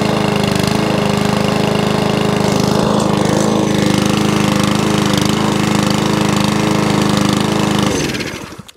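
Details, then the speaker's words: Mower started on carburettor spray after removing the air box; single cylinder fires steadily at an even beat about eight seconds then dies away, runs well; may need carb clean and service. "runs and wants to stay running too once a bit of a car break clean possibly and a good service"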